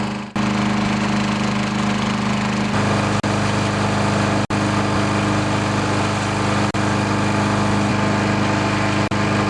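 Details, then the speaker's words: 10HP Briggs & Stratton engine on a wood chipper shredder, after replacing a warped, leaking fuel pump: small single runs smooth and steady with an even hum, no misses or knocks; normal running. "Anyways, it runs good. It's running"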